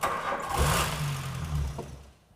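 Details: 1988 Golf Cabrio GTI that would not start, thought to need fresh petrol: the engine catches and rumbles for about a second, then dies. The accelerator pedal was found stuck on the floor from a faulty cable.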